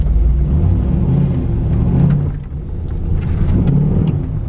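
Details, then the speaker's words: Pontiac Grand Prix with LS4 engine and an automatic that won't shift properly: the engine drones and rises in a low rumble but the car barely picks up speed; it doesn't grab hard and bogs under load; transmission slipping. "it just isn't as it doesn't grab as hard as it doesn't reverse and it should it just feels like it's bogging you can hear it it's a little bit better"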